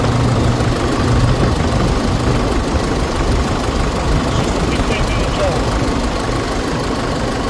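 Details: 2016 Holden Colorado 2.8 diesel after replacing a faulty accessory belt tensioner that let the belt slip off; steady diesel clatter at an even idle with no chirp or slap from the belt drive; normal idle.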